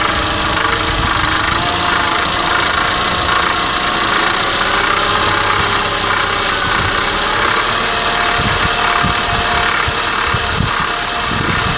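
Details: Chery Jaggi (QQ6) petrol engine at idle: steady idle with an irregular low knocking running through it; engine knock present, source unidentified by owner.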